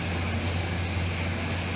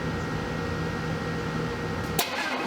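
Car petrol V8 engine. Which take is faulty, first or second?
second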